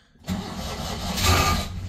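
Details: Citroen 2CV 602 cc flat-twin, first cold start after sitting about 8 months: short, uneven crank that stumbles and hesitates before catching into a rough, unsteady idle; reluctant cold start.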